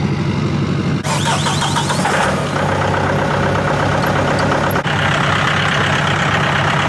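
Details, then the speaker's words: Duramax diesel just after new head gasket install, first start in a garage at about 50–60 degrees (not fully cold), warming up: steady, even diesel clatter and low rumble with no misses or knocks, smoothing out; no leaks, not yet driven. "Starting to smoothen out. Dude, I'm excited. We won't know until we drive it, but so far so good."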